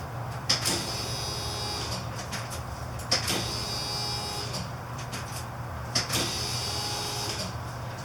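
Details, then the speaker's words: 1993 Ford E250 Econoline van, new fuel pump reached through a hole cut in the floor, priming normally: a soft electric whir starting with a click every few seconds as the key is cycled to build pressure before starting. "I'm gonna cycle it a couple of times to build up some pressure maybe like ten times"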